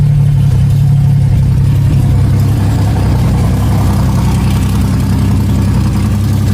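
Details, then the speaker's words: 1994 Chevrolet Cavalier with built 3400 V6, 3500 ported heads, Wottech strip cam, Obx headers, on first start: loud deep open-exhaust rumble at steady idle, even firing, no knocks or ticks; oil pressure gauge reads nothing, owner suspects gauge or ignition switch. "This thing sounds like a beast."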